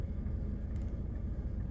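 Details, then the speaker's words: Van diesel heater after fitting a new fuel pump and fuel filter and priming about four times: steady low rumble with even roar, no misfire surges or stutters; heater burning cleanly and running normally. "Fully working now. Yeah, so I've got heat now. Brilliant."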